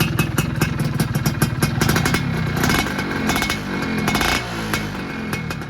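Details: 2001 Yamaha F1Z-R two-stroke, rarely used collector bike, small throttle blips from idle: crackly buzz rises briefly and settles back cleanly with no misfire; sounds healthy.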